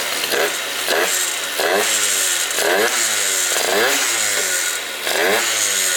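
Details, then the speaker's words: Yamaha Zuma stunt-build scooter, after its no-start was fixed and three warm-ups, fitted with an NCY quick throttle. Revs blip up and down about once a second, climbing and falling cleanly with no misses. Runs strong; normal running. "So this thing fires up, it runs amazing now."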